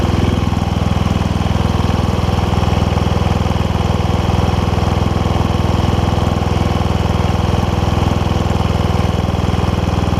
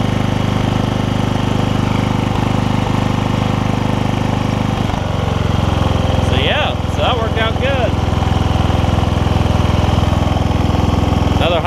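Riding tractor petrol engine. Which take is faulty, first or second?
first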